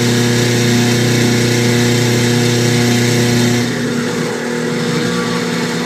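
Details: KitchenAid stand mixer running with a rough grinding hum, then dropping in speed and loudness partway through; it loses speed and slows at higher speed settings.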